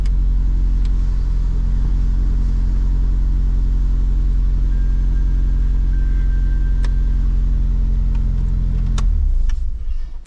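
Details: Dodge Shelby GLHS Charger with Chrysler 2.2 turbo engine, after troubleshooting a new fuel pump that randomly fails: steady, even low drone with no misses or knocks for about nine seconds before switch-off; runs normally.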